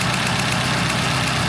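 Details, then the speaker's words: 1972 Toyota Celica, hybrid 18RG/18RC engine at idle after PCV and gasket work: sharp, even ticking about seven to eight times a second over a rough petrol idle; believed to be an exhaust leak at the front manifold runner despite a new gasket. "So you can plainly hear that tick. I gotta believe that it's still coming from the exhaust leak on the front runner of the manifold."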